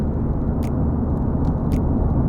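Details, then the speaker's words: Subaru after an oil change to Takumi oil with SOD-1 Plus additive: steady low engine drone under road noise, and the usual engine ticking is no longer heard. The engine sounds more refined and smooth. "and i can't hear those sticking sounds anymore i mean that is normal to hear some ticking sounds within the engine sound but now i can't hear it anymore"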